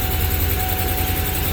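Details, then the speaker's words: Ford 4.6 V8 under load rumbling unevenly with a stumbling beat, spark disappearing on cylinder 4; fixed by replacing a faulty new coil and regapping the spark plug. "ahora miren lo que pasa cuando se le hace fuerza [Música] como desaparece La chispa"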